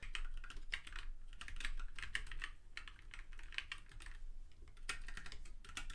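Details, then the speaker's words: ZSA Moonlander split hot-swap mechanical keyboard with Kailh Black linear switches: quick, even run of soft keystroke clacks with no rattle or ping, normal healthy linear switch typing. "i only really got these kale blocks because i hadn't got any linear switches but i have to say i love these kale blacks they feel really really"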